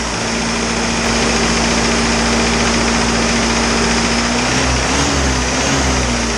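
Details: Isuzu 4BD2T diesel on its first startup after the build, idling until the thermostat opened: an even clatter and constant low drone with no extra knocks, with really good oil pressure and only a couple of minor issues.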